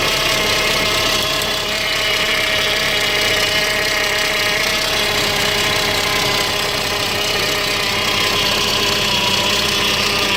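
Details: 2005 Saab 9-5 Arc, neglected with missing/modified parts incl. brake booster check valve, P0300 misfire code: uneven stumbling idle with surging, sometimes dies when coming to stop; cause not confirmed.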